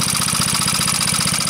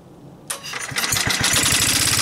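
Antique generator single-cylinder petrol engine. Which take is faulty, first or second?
first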